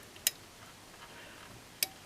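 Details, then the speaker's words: 12 V relay driven by a two-stage NPN amplifier (2× BC547B), switched by a negative driver voltage set with a 47k potentiometer: two crisp clicks about 1.5 s apart as the relay pulls in and drops out cleanly. "so I'm doing this you hear the clicks activation deactivation"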